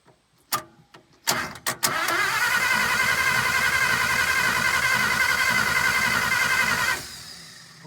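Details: 1951 Pontiac Chieftain factory straight-six, first start attempt in 25+ years, water found inside: a few clicks, then about five seconds of steady starter cranking at roughly four beats a second, never catches; points/spark suspected, unconfirmed.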